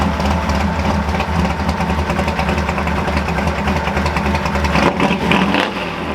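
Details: Ford F100 V8 with new engine, cold start at idle with a loud fuel pump: light uneven knocking tap under the exhaust beat, piston slap that happens when cold; otherwise runs fine.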